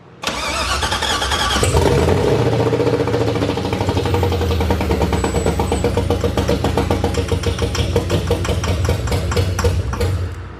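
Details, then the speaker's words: Toyota Cressida with LS V8 swap, first start, fuel supplied via brake cleaner: brief crank, fires cleanly and settles into even lumpy V8 idle, no misses, knocks or rattles; ran well. "so if you didn't notice it ran well"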